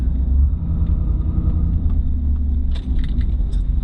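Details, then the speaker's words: Tow truck cruising after replacement of brakes, calipers, hoses, steering box and tires. Steady low rumble with a faint even tire drone and no knocks or whine, which the owner finds acceptable: normal road noise with slight tire drone. "tiny bit droney I don't think it's too bad I think it sounds good though I think it sounds real good"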